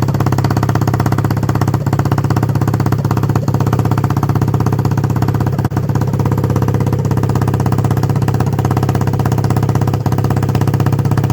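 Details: 1976 Honda XL250 (8000 km) on first start after a 3-month restoration: steady, even single-cylinder four-stroke thumping idle at about three beats a second, loud with no muffler, running cleanly.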